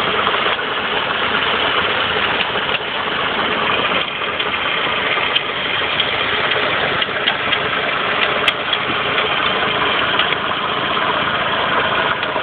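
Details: Saab 9-5 at idle: a rapid, loose, uneven metallic knock from the lower left side of the engine, near the engine mount, like metal on metal. It began a couple of days ago; cause unknown.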